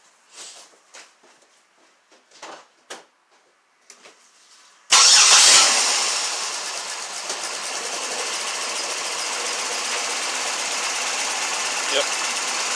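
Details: Pontiac Grand Prix 3800 V6, automatic, P0300 misfires on cylinders 2 and 5: cranks, catches, then idles with an uneven stumbling beat; swapping coils moved the misfire to cylinders 1 and 4, confirming a bad ignition coil.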